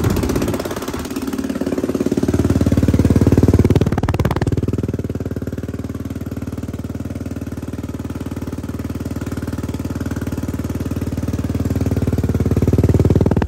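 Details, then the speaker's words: Yamaha Raptor 660R, first start after a complete top-end rebuild. A deep single-cylinder thump at steady idle, swelling on a throttle blip. Clean, healthy idle. "remember it's a big boy dude you can hear an echoing off that tree when it idles"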